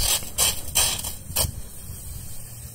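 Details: Outdoor water spigot running quietly, just a few bursts of water hiss with no humming tone; the hum it can otherwise make is eliminated by replacing the vacuum breaker.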